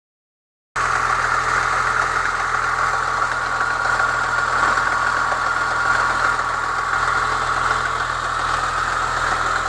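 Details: Chevrolet Niva petrol engine at cold idle: a fast, uneven metallic rattle near the first cylinder at the front of the block that disappears above about 60 °C; a new timing chain tensioner caused it, and the old tensioner with a modified spring fixed it.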